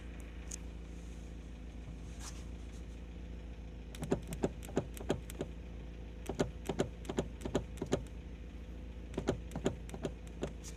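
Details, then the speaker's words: Lada Priora, interior knock over bumps after new door and seat latches: irregular bursts of sharp clunks over road rumble; owner suspects a loose, rotating joint moving up and down on bumps — interior knock over bumps, unconfirmed. "Мужики, короче, похоже, я нашел причину стука, потому что фиксаторы дверей я поставил новые абсолютно."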